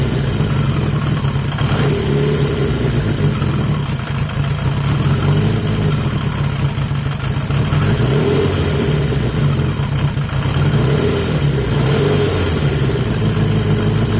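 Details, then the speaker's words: 1980 Yamaha XJ650 four-cylinder refitted with the stock airbox and reseated filter; it holds a fast, busy idle with small surges, never dropping to a slow tick-over; runs better than on pods but the high idle remains, cause unknown. "I think fairly undoubtedly it runs better on the box but it's still it's still got an idle problem and going back to the airbox hasn't cured it it's made it better but it hasn't cured it and I don't know why"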